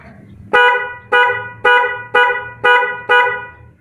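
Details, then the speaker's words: Car horns after repair, with both horns installed: six short, even two-tone honks, clear with no rasp or dropout. They now sound properly stereo; normal horn. "sobat-sahabat ini sudah stil ya sudah enak e terdengarnya"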